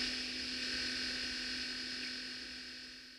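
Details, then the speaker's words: Radio Shack Micro 29 microcassette recorder recording through its built-in mic: steady high motor whine over heavy hiss from the very low tape speed, with a low hum underneath. The tape drive motor noise is leaking into the mic. "You can easily hear the motor whine in this recording. Extra mechanical noise is insult to injury when the tape hiss is already so high."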